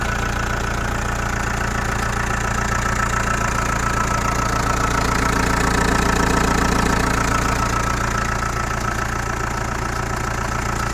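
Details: Chrysler Voyager 2.8 CRD diesel, cold start after sitting a couple of months: idles with a steady, regular knock of about three or four beats a second over the engine drone; cause unknown.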